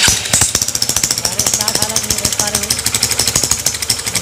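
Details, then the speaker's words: Honda CB Shine engine, idling with the top opened: fast, sharp metallic clatter ticking steadily over the idle because oil is not reaching the rockers; mechanic warns the rockers will be damaged; top-end oil starvation. "तो यही में करण है दोस्तों की हमारा engine जो sound कर रहा है और इस तरह से चलेगा तो हमारा रोकड़ वगैरा जो है ये सब सर डैमेज हो जाएगा"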